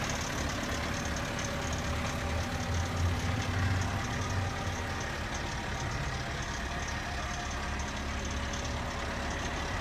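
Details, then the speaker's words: 1985 Toyota 22RE four-cylinder at cold-start idle: a loose, uneven rattle over a low rumble. The timing chain was already replaced but shows slack, and the noise gets worse as the engine warms. Suspected loose timing chain, not confirmed. "okay guys I decided to do a little video on my cold start of this 22 re 1985 Toyota it sounds terrible as you will see in a second"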